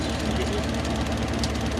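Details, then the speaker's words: Rebuilt Toyota 1UZ-FE V8 in a Hiace van on an early Gen 1 Link ECU firing four injectors at once, oil diluted with petrol: fast, even light ticking over a steady low idle; injector drive suspected, not confirmed. "It does sound very ticky, eh? It might just be the injector drive."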